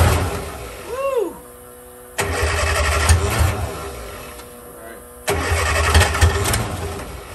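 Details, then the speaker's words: 1963 Austin-Healey Sprite 1098 with a Weber carburettor, first start in almost a year after spraying fluid into the carb with fuel pressure present: cranking, then two short uneven catches that fade. Hard starting and rough running; owner suspects the Weber needs rebuilding. "well guys I'm not happy at all with the way that Weber carburetor is reacting and I'm gonna go ahead and pull it off it probably needs to be looked over possibly rebuilt"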